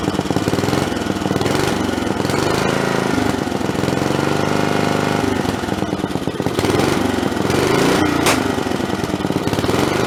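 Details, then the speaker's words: Snapper 3081 riding mower single-cylinder after spark plug swap, started with booster cables, starter cover off: loud steady chatter, even firing, no misses; runs normally, old starter noisy. "yeah I'd say that's probably what was going on so it runs pretty normal right there"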